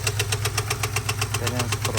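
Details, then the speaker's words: 2022 Ford F-250 7.3L gas V8 at idle: loud, sharp, even ticking-knock about eight times a second; teardown found a stuck hydraulic lifter, a loose rocker arm, damaged lifter rollers and a damaged camshaft. "¿Qué problemas tiene? Porque es fuerte el ruido que tiene. Veremos qué problema."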